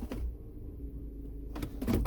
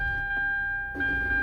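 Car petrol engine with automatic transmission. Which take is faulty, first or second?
second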